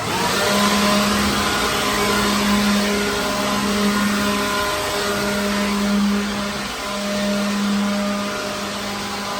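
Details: Used pawn-shop leaf blower cleaning a truck trailer: steady high whine with firm fan rush, even pitch with slight dips under load; running normally.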